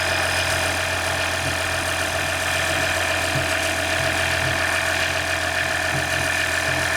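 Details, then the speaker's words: Freshly swapped 3.0L EcoDiesel in a 2019 RAM 1500, first start after engine replacement: steady, even diesel idle with a smooth low drone, no knocks or misses, nothing leaking; surprisingly healthy. "Wow, I'm surprised by how it runs the first start."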